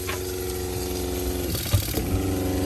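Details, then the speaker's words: Caravan's original on-board water pump, before replacement with a SEAFLO diaphragm pump: steady low droning hum with a throbbing buzz under running water. The pump is loud and vibrates through the van. "It's not the most enjoyable noise."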